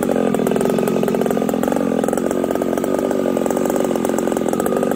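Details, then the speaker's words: Ported Husqvarna 371 XP chainsaw being tested with a new coil, both jets set at three-quarters: a busy two-stroke howl that breaks up with ragged, uneven firing; owner suspects a carburetor issue. "so I'm thinking I have a carburetor issue it's breaking up I hope you guys could hear that"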